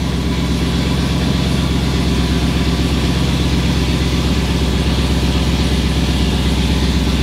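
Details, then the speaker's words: Chevrolet Camaro on a cold start with the exhaust header hanging off: a loud, raspy idle with a fast, uneven puffing chuff over a deep rumble; a loose, leaking exhaust header. "it's going to be loud so so bear with me cuz like I said the header is hanging off that [ __ ] sound like a like a truck"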